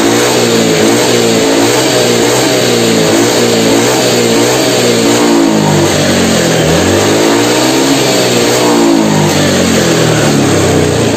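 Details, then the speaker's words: Honda Beat FI injection scooter: revs rise and fall but stall out at the top with the throttle slide fully open; top-end power loss blamed on a wrong throttle position reading, with injector cleaned and plugs checked normal. "atasnya itu enggak ada tenaga nih guys Coba kalian perhatikan disini untuk dibagian skepnya ya di sini ya skepnya sudah mentok sampai atas tapi ini tenaganya nggak ada"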